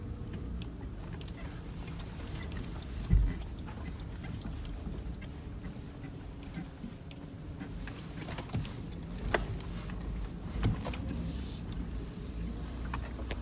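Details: Mitsubishi Pajero 4 while driving: steady road rumble with an occasional dull thump from the front end over bumps; front suspension knock.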